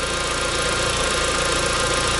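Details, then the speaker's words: VW after power steering pump replacement, bleeding at idle, out of gear, turning lock to lock: constant whirring hum with frothy buzzing edge; many bubbles in the fluid, air still in the system. "fluid lot of bubbles in there then we'll go back and do the same thing back and forth until you stop getting bubbles"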